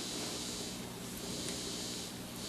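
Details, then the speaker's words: Vintage Teisco Check Mate 10 solid-state guitar amp after repair, turned up: steady, even hiss with no hum, crackle or popping; normal inherent amplifier hiss. "hear the hiss I mean it's again this isn't anything that's not inherent on practically every guitar in the world"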